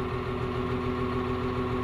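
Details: CAT 950H wheel loader diesel, just started, error code 36 for number one injector: heavy idle with an uneven, lumpy beat and a steady drone, one cylinder not pulling. Misfire and low power.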